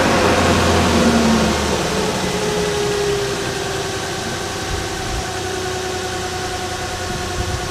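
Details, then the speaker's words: 2005-2011 Nissan Frontier/Pathfinder engine just installed, first fire-up: it catches and settles into a smooth, steady idle with an even beat and no roughness or shaking; sounds good. "Sounds good, isn't it? There's no shaking at all. Very nice, very nice."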